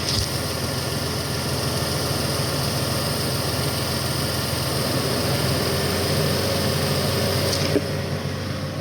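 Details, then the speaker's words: 1997 Toyota Avalon after power steering repair with new belts and fluid: even, steady idle with a smooth low hum and no whine or belt squeal; the power steering pump and belts are quiet. "let me mention that there is no noises at all from the power steering pump. Everything is nice and quiet. The new belts are nice and quiet,"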